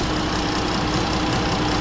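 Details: 2017 Jeep 3.2 V6: lumpy idle with irregular beat and occasional stumbles; cylinder 5 misfire, codes P0205 and P0305, injector failing open once hot, fixed by injector replacement.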